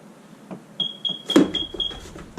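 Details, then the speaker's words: Smoke detector beeping in a vacant fixer-upper house during PEX water line repiping; short high chirps about four times a second over a quiet room, cause unknown and not investigated. "Yes, that is a smoke detector. place is vacant. Not worried about it."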